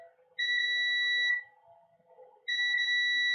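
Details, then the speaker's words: Garage door opener board, multimeter in diode mode, red probe on ground: two clean, high continuity beeps about a second each, capacitors beside the main chip each reading a dead short; main chip suspected shorted. "I'm going to use diode mode so you can hear the shorts. red probe on a ground and there's this cap here shorted and this cap here"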